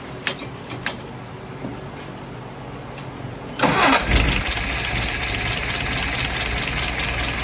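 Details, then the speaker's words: Restored, adjusted carburetor tested on a 48 engine: few clicks, brief crank, catches and settles into steady, even idle about 660 rpm, fuel pressure 2.75, vacuum 23, at spec; no nozzle dripping with float set correctly. "Idle RPM right now is about 660. Fuel pressure 2.75. Vacuum is 23. Right at spec."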